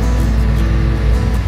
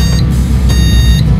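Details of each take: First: Varro Intel LGA 775 CPU cooler fan (aluminium heatsink) on a repaired PC: a soft, steady, quiet low hum at low speed, with music behind. The fan's rpm has not yet risen, perhaps because the processor is not yet hot; operation is normal. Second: PC with an Intel LGA 775 board booting with no RAM installed: long repeating motherboard beeps signal the CPU is working but no memory is installed.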